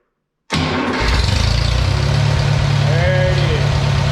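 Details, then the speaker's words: IH 140 tractor started after final assembly of repairs, having sat seven months: it catches at once and settles into a steady, even idle with no knocks, misses, weird noises or visible leaks, a normal start. "so everything is running sounds good i don't hear any weird noises"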